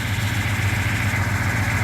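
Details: 1977 Ford F-150 at idle, steady even low pulse with no knocks or misses; engine runs healthy. Truck would not shut off with the key and kept running off the alternator; the voltage regulator was found bad, with charging still reading about 14 volts.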